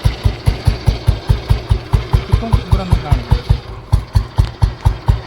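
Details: Old-model single-cylinder Bullet with new-model dynamo fitted to old crankshaft, still on platinum points ignition: steady, even slow thump at idle, about two beats a second, no misses or knocks; running well.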